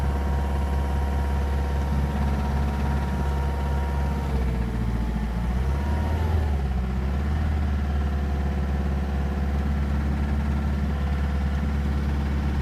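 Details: 1.9 TDI diesel (BSU engine) with single-mass flywheel and new clutch and camshaft: steady run with a faint, irregular knock under the rumble, louder on overrun and when coasting in 1st–2nd gear; engine knock, source unclear.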